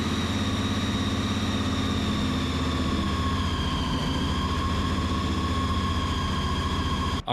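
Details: 1972 Opel GT, EFI 540 big block with 8-71 blower, idle air control valve being sorted: steady, even idle, smooth low drone with faint blower whine, no hunting or surging. Running settled.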